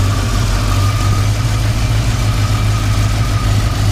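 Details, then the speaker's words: 1972 Chevrolet C20 Custom Deluxe truck, restored, numbers-matching 350 V8: deep steady idle, even unbroken rumble with no ticks or knocks; runs really good, healthy engine. "why don't we go ahead and start it up actually runs really good"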